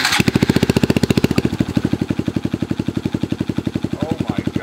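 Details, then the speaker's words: 2015 Honda Grom with custom exhaust and intake, which previously backfired, sputtered and died instead of idling. After the spark plug was checked and torqued to 12 ft-lb, it idles cleanly with strong, even single-cylinder thumping and no misses. "it Idols yes thank you"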